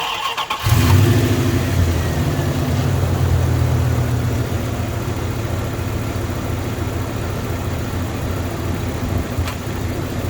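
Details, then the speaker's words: 1994 Dodge Dakota just started: steady even low idle with no stumble; the intermittent rough idle it sometimes has is absent now, and it overheats at idle with AC on. "Alright, so obviously I just fired up the engine. And right now it's actually not doing what I'm going to talk about next."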